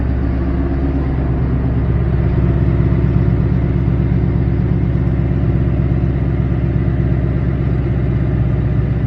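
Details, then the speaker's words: Car back with a new Coyote engine after a 50-mile drive home with temperature staying normal: deep, steady, even idle, no knocks or misses, only faint direct-injection tick; quiet and healthy. "quiet as a mouse just like when I bought it quiet as a mouse"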